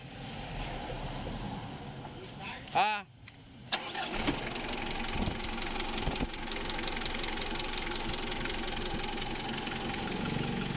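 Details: Mitsubishi Adventure 4D56 diesel after replacing failed glow plugs that caused hard morning starts: a short crank, the engine catches and settles into an even, steady diesel clatter at idle with no misses; runs healthy.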